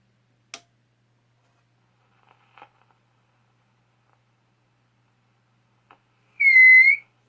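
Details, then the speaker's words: Zenith Z402Y AC/DC/battery tube radio, modified with a speaker jack: near silence, then a sudden half-second high whistle of amplifier feedback, likely from wiring routed under the chassis; cause suspected, rerouting considered. "that might be a problem sounds like feedback to me yeah I might have to reroute those wires may not be able to have them under the chassis for that reason probably why they were up on top to begin with"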